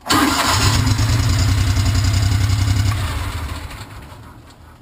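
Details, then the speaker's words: 2006 John Deere Gator 620i after fuel pump replacement; starts promptly and settles into an even, steady run with essentially no fuel pump buzz audible; sounds healthy. "you don't even hear the pump turned on so everything looks like it's turning out pretty good"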